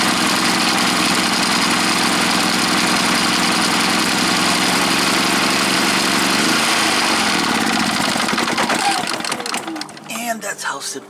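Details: Predator 3500 generator after the ignition control module (TJ113-2009-1) was replaced to fix a no-start. It runs strong and even at a steady fast beat with no misses, then winds down cleanly, so it starts and runs normally.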